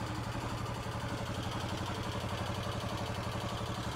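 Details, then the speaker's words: Kohler K Series single-cylinder on Cub Cadet 149, oil warmed a few minutes, throttle raised: thumping with a fast, light ticking clatter riding over the beat, increasing with rpm; sounds top end, intake valve clearance was found short. "now the chatter is still there i don't know how you'll be able to hear it or not definitely increases with rpm"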